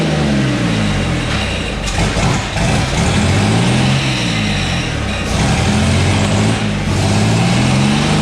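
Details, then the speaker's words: 1962 GMC 2-ton truck 305 V6, about 50 years old, salvaged from scrapping: revs up and down repeatedly, pitch tracking throttle cleanly, no misses or knocks; runs, though likely needs starter, accelerator pump, carb rebuild, plugs and wires. "probably could use plugs and wires and several other things but hey it runs"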